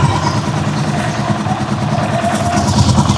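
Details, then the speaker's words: Rusi Chariot 175 single-cylinder at idle on Bajaj RE oil: quick, crisp, steady beat with no knocks or rattles; clear, healthy idle. "Yan, matining yung tunog nitong naka-Bajaj oil."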